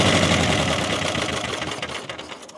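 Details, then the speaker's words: Caterpillar Diesel 70 pony motor winding down: uneven, lopsided popping with skipped beats. Suspected to be running on one cylinder some of the time. Misfire, unconfirmed. "Not sure. Sounds like I might be running on one some of the time."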